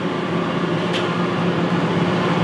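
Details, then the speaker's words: Beverage Air UR30GE commercial refrigerator that powers on but won't cool: both fans run, blowing room-temperature air, with steady fan whoosh and hum and clicking but no compressor start; failed start capacitor. "this one keeps clicking this points us toward the compressor and its circuitry"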